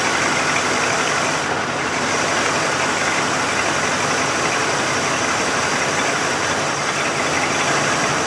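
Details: 1988 Lincoln Town Car V8 at its first start after the fuel tank filler work: an uneven, slightly loping idle over a steady exhaust rush, running rough and smoking. Injectors, plugs or water in the fuel are suspected, and it likely needs a tune-up.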